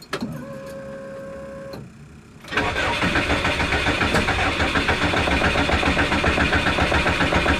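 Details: Subaru with a no-start issue, primed and given throttle while cranking: starter spins the engine in an even chug, about three to four beats a second, but it never catches; crank, no start.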